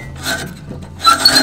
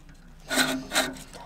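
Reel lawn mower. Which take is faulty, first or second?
first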